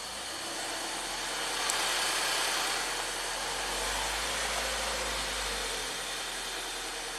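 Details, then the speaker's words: Ford EcoBoost van with intermittent P0106 MAP code and stalling, restarted after stall with cam jumpered during fuel-pressure diagnosis: rough idle with loud fast clicking about four per second over hissy engine note; cause unknown. "it's dinging and dinging or clicking really loud clicking really"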